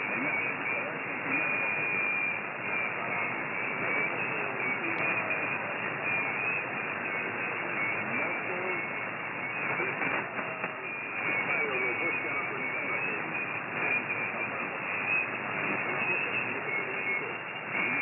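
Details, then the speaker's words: GA-450 battery-powered active magnetic loop antenna: dense hiss and rough buzzing in receiver audio from its internal switching power supply, compared with the supply on the antenna box versus moved away from the antenna. "in a moment I will present your short recording showing the influence of sweetness switching on power supply from this antenna location on on the antenna box and moving it away from antenna"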